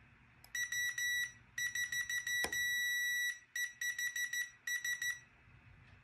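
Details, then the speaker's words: SafeFlight lift detector (stall warner) switch, vane pressed, multimeter continuity test across common and normally open: beeps come in broken, uneven bursts; switch barely making contact, defect suspected not confirmed. Intermittent switch contact. "you can see how it's just barely making contact and i've got"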